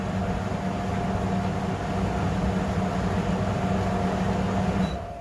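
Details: Fisher and Paykel dryer after motor capacitor replacement, checking both drum directions for squeaks: even drum rumble, constant hum, no squeak or chirp, then winds down before reversing; running healthy.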